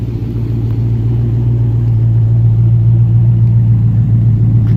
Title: Cold start, walk around, misfire at idle - 2006 Dodge Magnum SRT8